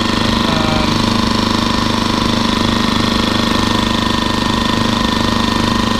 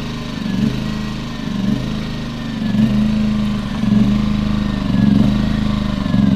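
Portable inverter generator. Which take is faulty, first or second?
second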